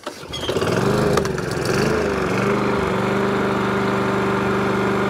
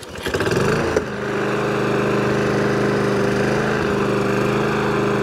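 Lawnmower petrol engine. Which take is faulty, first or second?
second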